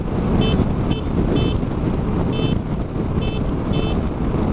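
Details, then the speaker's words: Honda NC750X horn tested while riding: six short, thin high toots barely rise over wind and engine rumble; the horn is far too weak, audible only within about a meter of the bike, so cars won't hear it. "anywhere within a meter around the around the bike no one else can hear it so it moat waist speeds and if you needed the horn it's just going to be they're just not going to hear you"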